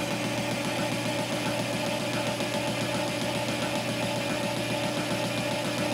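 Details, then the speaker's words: Cisco lathe boring a drive sprocket with a high-speed steel bit and boring bar at a slow feed, for a replacement motor: even rhythmic ticking over a steady cutting hiss as the tool crosses the keyway each turn; an expected interrupted cut on the last passes. "because it is a interrupted cut from the keyway right there so we're making our last passes"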